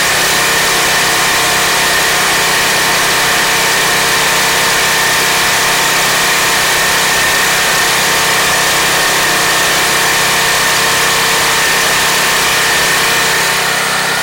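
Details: Craftsman 2700 PSI pressure washer (model 580.752871), Briggs & Stratton 175cc engine, after fixing no-start by clearing a clogged carburetor jet, air filter cover off: steady, even single-cylinder run with no surging, hunting or dying; running healthy.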